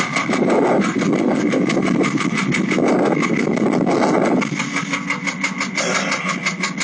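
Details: Porsche 996 late-model 911 Carrera 4, warm, about 68,000 on the odometer, idling: quick light tapping about three per second over the flat-six. Noise began about 2 months and 2,000 km earlier and vanishes off-throttle; fuel pump was suspected, but the engine needed replacement.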